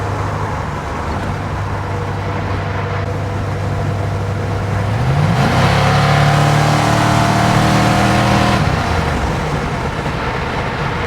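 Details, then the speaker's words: 72 Nova with a 6.0 V8, 4L80E, Chop Monster cam, 3600 stall and 2.73 gears, running on Holley Terminator X, pulls hard with a rough puffing exhaust note from a couple of exhaust leaks. "I mean, it's it's it's got a couple of exhaust leaks, too. You can hear them. Sounds like a like a small block Chevy with a bunch of exhaust"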